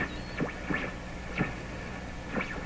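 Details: General Electric C600 radio during RF capacitor replacement: low hum under sliding whistles and swooping chirps every half second or so; odd noises, cause unknown.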